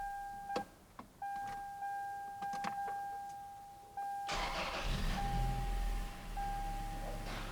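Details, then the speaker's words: A 2004 Toyota Tacoma 4-cylinder, after its idle air control valve was replaced, gives a warning chime, cranks and catches at once. It flares to about 1200 rpm, then settles to an even 750 rpm idle. "right so we jumped up 1200 and we settled back down to 750"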